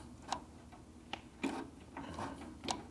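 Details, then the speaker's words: 1949 Harley-Davidson 74ci FL panhead during tune-up and distributor rebuild: sharp, uneven metallic ticks about once a second as the distributor is rotated, bottoming out on its stop before the points trigger; the stop strap needs repositioning. "No, I hear the distributor over here bottoming out."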